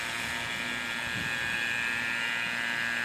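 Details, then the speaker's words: Vacuum pump evacuating a ductless heat pump line set through a core removal tool: steady high-pitched drone with a faint gurgle, the pull easing off evenly, which shows no major leak in the line set. "as you can hear it's gradually tapering off letting me know that I don't have a massive leak somewhere"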